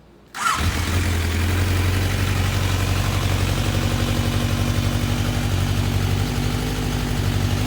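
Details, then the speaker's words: Start and smooth, even idle of a 76,000-mile Kawasaki 1000 ATV engine after air box delete and carb rejet, individual air filters fitted, exhaust removed (straight pipe); fires quickly with steady low thrum, healthy before engine removal. "we're just fired it up this will be the last time you hear the engine in this"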